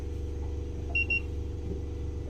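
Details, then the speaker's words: Fischer Panda diesel generator on a Grady White 330 Express boat just started: steady low lazy drone with a brief beep, running underspeed and making only 90-92 volts instead of 120+; throttle arm should move to raise rpm. "it's only 90 92 volts this thing should be running 120 plus no matter what"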